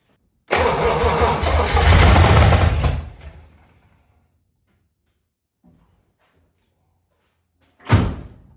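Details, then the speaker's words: 1956 DeSoto Firedome V8, first start after 24 years in a barn with refurbished carburetor and gas poured in: a few seconds of cranking catch into a loud ragged burst of firing, then dies; fuel pump not delivering fuel. "She wants to live. Oh, she [ __ ] fired off."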